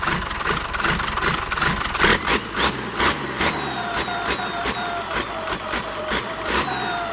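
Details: HX35 turbocharger on a diesel, tested at low revs: repeated throttle blips, thin whistle rising with each rev and falling back, turbo spooling normally.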